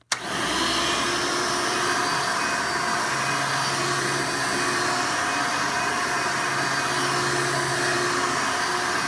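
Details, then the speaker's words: Hoover Elite vacuum after motor replacement and new LED light: smooth, steady motor roar with even airflow hiss, no surging or rattles; sounds and performs much better, suction improved. "Not only does the machine sound better, but it performs as a vacuum a lot better."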